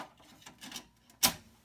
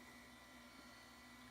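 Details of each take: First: Vintage compact Mac floppy drive closing: a single crisp, quick snap with no sluggish drag; drive mechanism practically like new, normal closing. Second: Compact Macintosh Classic, first power-on: fan and drive whir with faint high whine, screen stays dark, no startup chime; bad analog board suspected, leaky capacitors possible.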